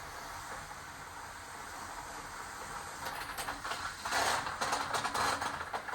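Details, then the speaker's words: Garden hose with a spray nozzle hooked up as temporary water after frozen pipes and the water meter cracked: a soft hiss builds into uneven sputtering bursts as trapped air escapes from the broken piece of hose. "see you hear that air coming out of that piece that's broke"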